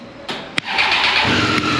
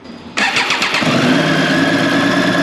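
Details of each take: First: 2018 Triumph Street Triple 765 RS at 20,000, started after tightening four loose valve cover flange bolts; a sharp click, then it catches quickly and settles into a clean, steady run, the rattle gone. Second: 2018 Triumph Street Triple 765 RS, about 20,000 km, idling with a light metallic chatter from loose valve cover flange bolts, first suspected to be the cam chain; fixed by tightening the bolts.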